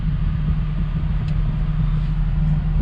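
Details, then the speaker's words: Mk4 Toyota Supra 2JZ-GTE single turbo, after AC compressor repair and system refill; the compressor previously would not engage. Steady, even idle with the compressor now running, no knocks or surging; AC fixed. "now you guys can actually hear it the compressor coming on and i had already filled up the ac system"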